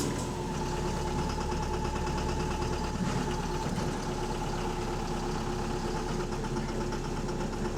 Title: Loud Engine Rod Knocking | AL HV48 On Bus Route 335 Part 3 (4)